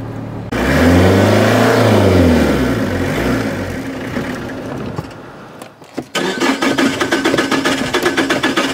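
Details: Old Opel Corsa petrol car in midday heat, driver pumping the pedal: starter cranks steadily about four turns a second for seconds with no catch, then rough cranking resumes; hard start, cause unconfirmed.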